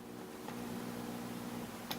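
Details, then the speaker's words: Homebuilt single-ended Class A mono tube amplifier, pentode power tube with plate and screen tied at about 20 mA, warming up: steady low hum with a few evenly spaced tones from the speaker; tube alive and working normally. "can hear the speaker humming so that tells me that our tube is alive and well"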